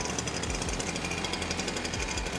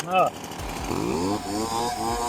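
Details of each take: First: STIHL BR430 backpack blower two-stroke, after hydrolock teardown and diaphragm replacement: running rough with uneven low pops, about four a second, breaking through the buzz. Intermittent popping, cause not confirmed. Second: STIHL BR430 backpack blower two-stroke after hydrolock repair, now on and running and no longer filling with gas: revs up and settles back cleanly with a crisp, even note, no stumble or bog. Normal running.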